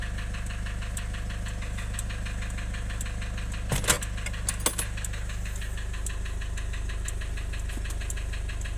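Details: Nissan Urvan Estate with ZD30 (E25) diesel at idle: uneven, lumpy beat and steady clatter with a few stumbles; rough idle with white smoke from lost compression.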